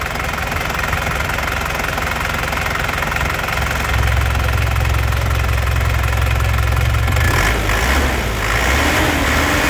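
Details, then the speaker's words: 2005 Isuzu Panther Grand Touring Turbo diesel: even, crisp clatter at idle, then clean rev rise and smooth return with no knocks or misses; healthy engine. "Jadi suaranya masih renyah tandanya itu mobilnya masih sehat ya."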